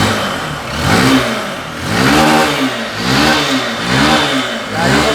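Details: Honda Bros 150 motorcycle, 2011, after repair of a strange engine noise reported by the customer: engine blips up and down about once a second, pitch rising and falling cleanly with no knocks or rattles; sounds healthy.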